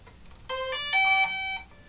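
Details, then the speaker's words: DJI Mavic Pro drone with a fully charged battery, switched on by a short press then a hold: a short rising run of clear electronic tones in a quiet room, the normal power-on chime. "that means the drone's on."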